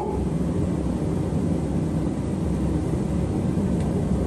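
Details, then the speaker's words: Propane ribbon-burner forge just lit, propane wide open with fan on: steady even roar, no sputter or pulsing throughout; burner lit and running cleanly. "God, it comes in fast,"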